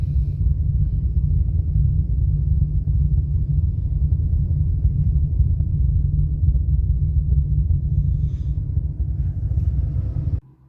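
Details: Two Soundqubed HDX3 12-inch subwoofers on a Taramps MD 5k amp, head unit volume off with slight gain, mic at the port: constant deep droning rumble, cones moving slightly; static/rumble source unknown.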